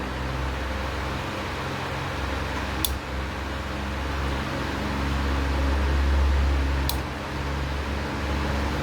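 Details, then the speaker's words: Usha Farrata 500mm pedestal fan switched on from the slow side, running at roughly full speed: steady low motor hum, even airy blade rush, no rattle or scrape; normal running. "तो ये full speed पे है लगभग मेरी जानकारी के अनुसार।"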